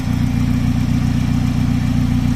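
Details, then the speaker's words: Honda Civic VTi VTEC P08, AC off, engine warm with radiator fan cycling: steady, even idle sitting noticeably high with no dips or hunting; idle bypass screw opened too far, so idle will be lowered and retuned. "Taas. Mataas siya. Maganda siya pakinggan kasi mataas yung minor."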